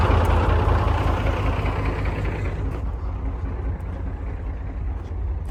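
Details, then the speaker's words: British Leyland engine in a British Chieftain Mk10 tank, recently started after water flooded the engine and warming slowly: deep, even low rumble settling a little quieter, no knocks or misses; running smoothly. "Now, with the British Leyland engine running beautifully, it was time to put the quill shafts back in that will connect the gearbox to the final drives"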